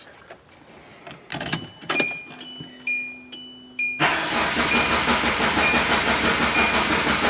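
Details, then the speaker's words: Race car project with an AEM FIC six add-on controller whose supplied base calibration had all zeros in ignition and fuel maps: steady, even starter churn about three beats a second, never catches; crank no start. "so that calibration that was supplied is base with zeros and everything ignition map fuel everything so there's that's the reason why it doesn't work so I don't think we did anything wrong because it still turns over all the stuff comes on yeah"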